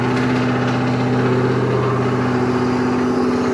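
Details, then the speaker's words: Restoration car at its first start after the build, with foot off the gas: a deep, even V8 idle with a steady beat and no knocks or misfires; a little initial smoke soon cleared; healthy idle. "there you have it guys it starts it runs we're ecstatic it sounds phenomenal"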